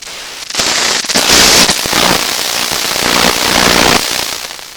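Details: Tiny TACT TPR-61 Japanese record player with radio, switched to radio: loud crackling hiss that surges up and down with no station heard; volume control doesn't work well.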